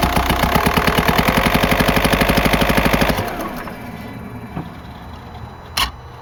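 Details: 2004 VW Jetta TDI PD diesel with a failed camshaft: sharp, very regular rapping about three times a second for three seconds, then fading out; worn camshaft, not an exhaust leak, worsening over weeks and losing speed on grades.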